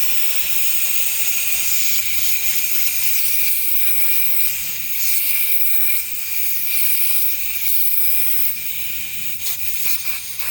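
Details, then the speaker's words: 2018 Audi A8L on jacks, compressor disconnected during valve block replacement: black driver's-side air line released, strong steady high hiss slowly tapering as lots of air escapes and car drops; suspension pressure release. "I can feel the car coming down. I do have jacks on it. That is a lot of air. Wow."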